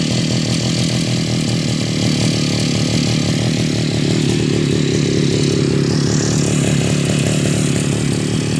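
An even, steady two-stroke drone that climbs smoothly to higher revs and holds without stumbling; a sound, healthy run.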